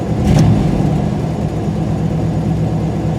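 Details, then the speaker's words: Warm engine after a couple of drives around the block: steady, even hum with no hunting or misses that sits a little fast; owner guesses about 1100–1123 rpm; alternator belt slightly loose, squealy at start-up; runs great but idles too fast. "I took it around the block a couple of times it ran great it idles too fast"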